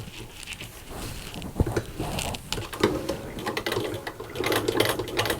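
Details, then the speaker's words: 1923 hand-cranked Singer 15K sewing machine sewing fabric: light, quick, even ticking from needle and shuttle with no knocking or grinding, stitching like butter with a good strong stitch; normal stitching. "like butter i tell ya like butter look at that isn't that nice it's a good strong stitch just fine"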